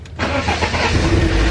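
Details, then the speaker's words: BMW E36 after the fuel pump was removed and refitted, in neutral: short crank, then the engine catches and settles into a rough, uneven low rumble, probably still building fuel pressure; owner notes the pump seems to run only while cranking. "all right we're in neutral let's do it probably gotta build up some fuel pressure"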